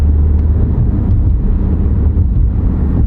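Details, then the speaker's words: Mexican-built Volkswagen, customer's mystery noise at road speed and under throttle: steady deep booming drone, no knocks or grinding; noise is from the aggressive tire tread, nothing mechanically wrong. "hear the tires boom boom boom that's the noise he hearing it's the tires"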